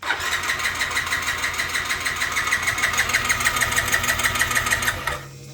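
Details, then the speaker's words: 2007 Yamaha C3 50cc scooter (XF50W), lithium battery, fuel pump heard running, fresh plug, clogged fuel line suspected; steady starter whir with compression pulses about three per second that never catch; crank no start, cause not confirmed. "Not yet. Still no. I don't know how long I can crank on this battery before I run the battery out."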